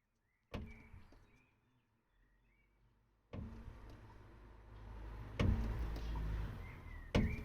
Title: Peugeot 308 BJ2012 Klopfgeräusch beim ausfedern